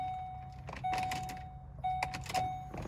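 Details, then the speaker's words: Apparently a 2003 Ford Expedition being checked for a crank no start: a steady mid-pitched electric hum comes on in short runs after the key turns, with a few clicks; fuel pump primes normally. "so i hear the fuel pump kick on"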